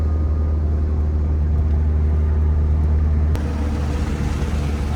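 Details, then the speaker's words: Mitsubishi Evo's newly built engine on its first drive, cold day, windows down, AFRs and temperatures perfect; deep, steady drone with even low rumble, no knocks or rattles; normal engine running. "Here we are, first drive on the new built motor. The thing runs fucking awesome. AFRs are perfect, temperatures are perfect."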